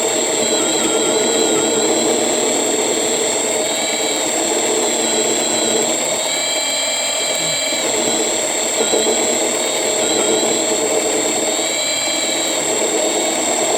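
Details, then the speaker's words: Rebuilt Sieg mini lathe making its first facing cut on pipe with a carbide tip at about 300 rpm: steady high motor whine and cutting screech, with pitch sagging as the cut loads the motor down; motor bogging under cutting load. "It's definitely different to use. It's not like the other one. You guys can probably hear it loading down."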